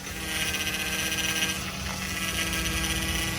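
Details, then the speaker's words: Customer's car, steady whine and hiss over the running engine from the hydraulic power steering pump, louder when steering is stressed; cause under diagnosis, pump not necessarily at fault. "Esse barulho, ele tá vindo ali da bomba de direção hidráulica, tá? E por que que ela tá dando esse ruído?"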